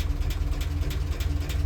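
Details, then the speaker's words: International R-170 4x4 truck after repair work, previously running badly: deep, slow, even idle thump and steady low rumble with no misses, idling down to about 300 rpm; normal apart from one noisy valve. "That's how they're supposed to sound, other than the noisy valve. And she idles down to about 300, it sounds like."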